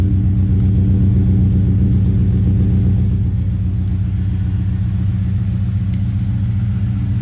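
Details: LS1-swapped GU Nissan Patrol at cold start after a rear main seal repair and header exhaust leak fix: a deep, steady V8 idle with an even low burble, no ticks, knocks or exhaust puffing.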